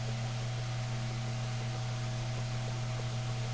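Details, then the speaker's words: Mainstays SFC-225BR-1 9-inch high velocity fan, serviced out of the box: steady low motor hum with even rush of air, distinct running sound, no ticks or rattles; running normally. "and you can definitely hear the running sound this thing has this is a got a pretty distinct running sound which I I do like it believe it or not I love the running sound this fan has"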